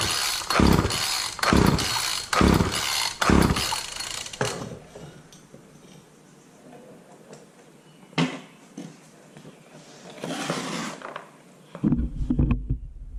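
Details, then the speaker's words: Cheap wheeled walk-behind two-stroke string trimmer of unknown running condition, choke on after carb spray: four quick rope pulls, each a short coughing rattle that dies; cranks but won't start, owner suspects flooding or a fouled plug after pulling with the plug wire off. "I think I flooded it out because I didn't have the plug wire on."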